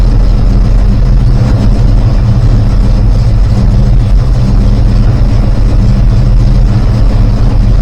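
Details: Newly rebuilt 360 V8, still warming, timing being brought down from just under 10°, ~750 rpm idle, idle mixture screws about half a turn out: loud lumpy idle with exhaust popping and banging, suspected unburned fuel, spark plugs always caked; cause unresolved.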